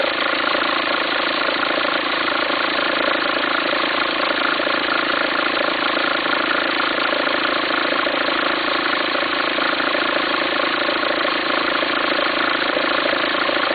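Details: 2004 VW Passat 1.9 TDI diesel at steady idle: uneven rumble of three or four pulses a second, something in the belt drive flapping. Belt appears to jump with it. Owner suspects a worn pulley and asks whether to replace the pulley or the alternator.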